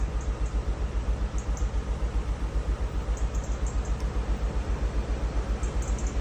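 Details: VW Mk7 GTI petrol engine idling with a steady lumpy stumble, roughly two to three beats a second: misfire; timing case leaking oil over fuelling; final washer failing.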